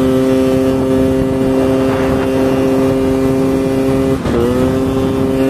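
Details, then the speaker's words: 139QMB scooter with LeoVince muffler just repacked with dish-scrubber pads after it sounded partly blown out; steady buzzing exhaust drone at constant revs, slightly metallic, one brief dip; muffler now sounds sound and leak-free. "Skaņa izmainījās, skaņa ir tā kā metaliskāk vairāk."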